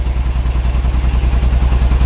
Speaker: Sounds like an old truck.